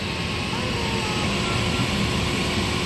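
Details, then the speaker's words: Liebert steam humidifier water fill valve at 25 V, back in normal operation: steady, even hiss of water through the valve with no chattering or buzzing; earlier chattering blamed on a relay passing insufficient voltage, relay to be replaced. "and once it drains enough I'm going to set it back the normal operation and I'll show you that study and we're not chattering anyone 25 volts"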